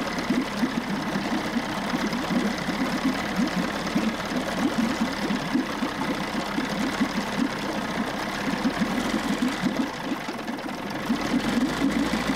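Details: 1994 Johnson 6 hp two-stroke outboard bought at auction, idling after the thermostat was removed and it ran much cooler; pumping good water. Even, rapid burble holding a steady idle, no stumbles or knocking. Normal running; new thermostat to be ordered.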